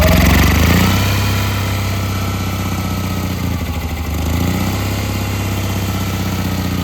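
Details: Old Onan generator, cold start on choke at about 10–14°F after sitting a while, with a new carburetor and fuel pump; cranks briefly, catches within a second and settles into a steady, slightly lumpy low thump; a healthy start.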